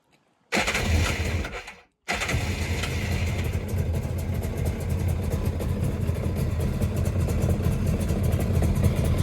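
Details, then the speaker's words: 1996 Tigershark jet ski two-stroke, revived from non-running, started cold and left idling while cooling water line temperatures are checked for warm-up and overheating. It catches after a brief crank and settles into a steady, even idle with no misses or knocks: a normal idle. "I'm just going to let it idle for a while."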